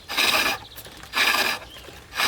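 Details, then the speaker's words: Treadle lathe roughing out a billet with a gouge, now round; steady even rasping cut in regular strokes with long shavings and no chatter or bumps, showing the billet has reached a cylinder. "here a nice consistent sound and you'll get long shavings coming off that will tell me without looking that I've got down to a cylinder"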